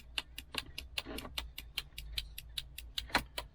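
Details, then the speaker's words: 2008 Chevy HHR LT after aftermarket radio install, which loses the factory chimes; with left and right blinkers on, the relay gives crisp even ticks about two and a half per second: turn signal relay clicking normally. "when i hit the blinkers now left blinker right blinker i can't do the hazards because i don't have the button in there but what happens is this relay right here clicks"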